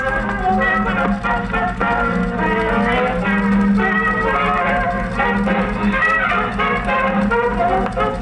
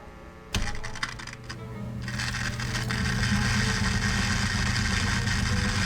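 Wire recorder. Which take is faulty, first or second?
second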